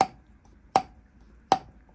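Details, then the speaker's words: Lapping a valve on a Land Rover Series 2¼ petrol cylinder head with carbon buildup: three crisp ringing taps about three-quarters of a second apart as it is twisted on its seat. The sound shows a good seal. "that it's making a good seal now I'm going to go ahead and do all these anyway so I know that it's been done"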